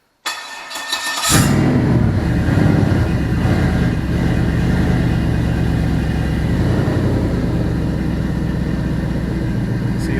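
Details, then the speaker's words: All-aluminum 5.3L L33 HO Gen 3 LS V8 on a test stand, cold start at 63 coolant, 68 intake air and 12.3 V battery: cranks briefly and catches, then settles toward the 700 rpm idle setting with no knocks; normal cold start. "it's already settling down i set the rpm the idle rpm is 700 rpm so that'll do its thing here as it comes down"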